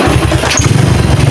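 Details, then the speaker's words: Motorcycle with PWK carburetor reset, pilot jet 38 and main jet 110: fires on first start and settles into a steady, even idle with no hissing or popping; carburetor set correctly. "hidup untuk langsamnya juga seperti ini ya langsam karbu yang pas itu seperti ini tidak terdapat suara ngeses dan suara berebet ya"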